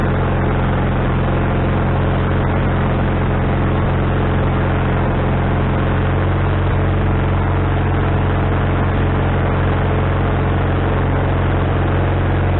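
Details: Wood-Mizer LT40HD sawmill engine just started after fitting a new carburetor, bowl having drained overnight: steady, fast, unchanging drone that never settles to a slow idle; owner suspects the governor linkage is hooked up wrong.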